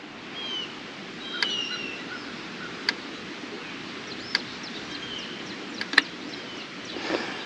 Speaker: if you get over red and yellow it means you're grounding out somewhere yellow probably means you got too much vegetation growing on your wire and red you're probably touching the post you can also hear it clicking